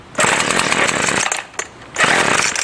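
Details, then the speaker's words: Salvaged two-stroke string trimmer with carb untouched, on full choke and full throttle: a buzzy catch that revs about a second, sags almost to nothing, then catches again. It starts then dies; the owner suspects it ran on residual gas. "I got it full choke and I pull it full throttle till it starts and dies if it starts"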